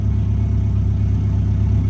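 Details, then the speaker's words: Integra after the vacuum leak repair, cold: a smooth, even, steady raised idle around 1000 rpm with no misses or knocks. It is expected to drop as the engine warms. "we're chilling at a grand right now but when it starts to warm up it will come down from that"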